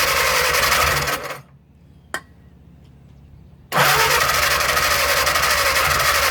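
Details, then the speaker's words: Old 4-cylinder flathead (1937 Willys) generator engine sat outdoors for years, after fixing loose coil wire: long cranking bursts with one sharp pop, won't catch; all plugs soaking wet, transmission fluid in intake suspected. "Well, she's trying, just won't get there yet."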